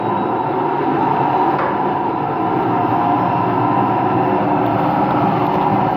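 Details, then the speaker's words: Washing machine on an empty rinse-and-spin cycle at full spin: constant hard roar with droning mid-pitch hum, no lull; owner suspects both motor and drum bearings, no leak seen; loud rumble during spin. "I actually think it's both bearings. I think it's both the motor bearing and the drum bearing that makes noise. That's what I think."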